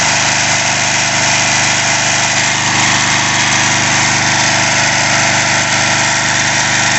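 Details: Craftsman 3.5 hp edger/trimmer that had started then stopped, after a carb clean and mixture-screw adjustment with a tachometer; steady, even buzz with no hunting; normal idle.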